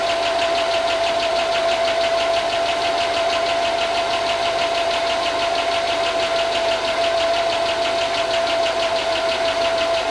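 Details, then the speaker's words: 5.3 LS Chevy Tahoe, long unrun, first start after fixing corroded grounds, with good oil: quick, even ticking over a steady idle with a whine; owner thinks it is the lifters and hopes they pump up. "it's ticking like I just sent you a video. It's ticking. I think it's just lifters though."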